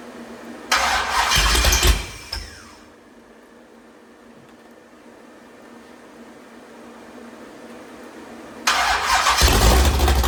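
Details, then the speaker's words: Rebuilt 426 Gen 2 Hemi crate engine (new heads, intake, pistons) first start on a run stand: catches at once with a deep strong firing burst, drops quiet, fires again cleanly; oil pressure jumps to 50 psi; normal start. "So, we're getting closer once again. Here's our 426 crate hemi first start. See how she goes."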